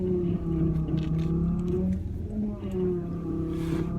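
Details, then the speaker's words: Van power steering pump howls with a moaning, wavering tone over the engine rumble when turning, silent going straight, with wheel judder at low speed; later treated with Lucas Power Steering Stop Leak. "my power steering pump now I'm fine when I'm turning it's just howling like this but I also the wheel feels like it's kind of shaking like sometimes when it turns at low speed"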